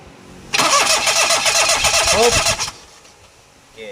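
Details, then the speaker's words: Perodua Kenari, plug coil removed to check spark: steady starter cranking about two seconds with no firing; no spark at plug, traced to a broken ground wire at the back of the body. "sekarang ni dekat PL tak ada api. Masalah api tak adaah tu dia tak boleh hidup."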